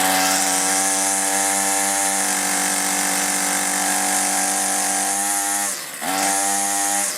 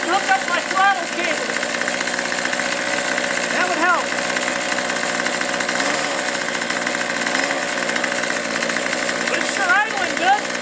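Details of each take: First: Older 2-stroke string trimmer, unstarted for a week, primer bulb not working well, hard to start: steady high buzz that hunts, dips and nearly dies, then picks back up; poor running from faulty carburetor, aftermarket carburetor ordered as replacement. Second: Troy-Bilt two-stroke string trimmer runs cleanly with a steady, high buzzing note after fuel-system repair and new primer bulbs, started on half choke and now easy to start: normal running.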